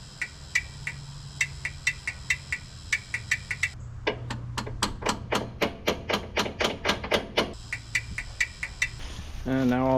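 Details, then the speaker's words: 1980s Marmon cabover semi diesel: sharp, even clicks about four a second with no cranking; warm battery cables indicate high resistance, and the starter loses contact at a heat-damaged, stripped terminal stud, so pulling the starter is planned. "all that starter is doing is clicking. I'm just going to pull the starter."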